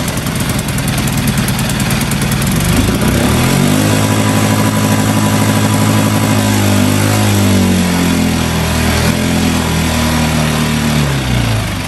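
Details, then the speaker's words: New Hangkai 6.5 hp four-stroke outboard, first start in water barrel on choke after priming bulb: engine climbs and holds a fast busy speed instead of settling; idle speed screw set way too far in, later backed out; high idle speed. "another thing is how high it was revving up and this idle speed was was pushed way way way too far in so i unscrewed it some and it seems to be fine now"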